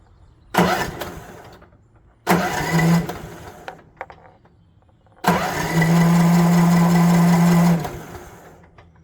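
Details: Troy-Bilt TB42 lawn mower that had not run, first start after replacing the ignition switch: two short cranking bursts die out, then a third catches and runs a few seconds on choke, puffing smoke, before shutting down.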